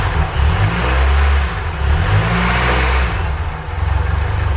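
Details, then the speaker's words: Ford Capri Calypso first start after 14 years standing, fuel only in the carburetor float chamber: smooth, even running through throttle blips, picking up and settling cleanly with no misses. "After 14 years, it finally runs. And how sweet is that? It runs beautifully."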